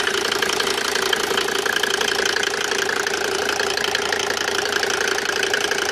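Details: Mercedes W202 with OM605 turbo diesel at idle with a regular tapping knock, roughly three per second, over the clatter; engine knocking, cause unknown.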